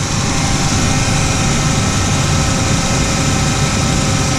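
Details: 1999 Ford Ranger 4.0 V6 petrol after replacing the idle air control valve and battery-disconnect relearn: smooth, even idle with steady low rumble, no surging; before, erratic up-and-down idle and hard cold starts.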